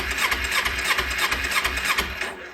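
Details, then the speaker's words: 2009 Kawasaki Ninja 250 on battery power, clutch held in, cranked: quick even starter whir with steady compression beat, then stops; engine spins freely, not seized. "that means the motor is good Motors are more than likely good it's not SE not stuck"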